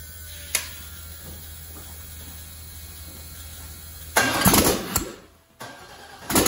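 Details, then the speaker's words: Rebuilt aluminum 5.3 LS, turbo build for 2014 Dodge Grand Caravan conversion, first start: a few ragged bursts that stumble and die; very lean, tune still set for 80 lb/hr injectors while 29 lb/hr fitted. "so we got fire oh that is exciting so i think i might know why uh well i loaded into tune with 80 pound per hour ejectors these are 29 pounds per hour"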